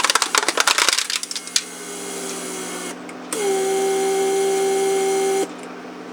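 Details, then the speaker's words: Repaired Mercedes S-Class PSE door-lock pump, 1995-installed unit, bench-tested with ignition on: small electric pump hums steadily about two seconds, charging the pressure storage tank and evacuating the vacuum storage tank, then cuts off cleanly; normal operation. "so what happened now is it pumped up the pressure is there war pressure storage tank and also vacuumed out vacuum storage tank"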